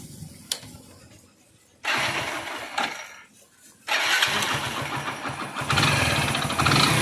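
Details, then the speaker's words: Hero Splendor Plus motorcycle, 32,314 km, excessive engine noise: several kick-start attempts, then the single catches and runs with loose, uneven tapping over its beat; top-end tapping, worn rings or piston suspected. "और इस bike में अब engine से बहुत ज्यादा सौंडा रहा है"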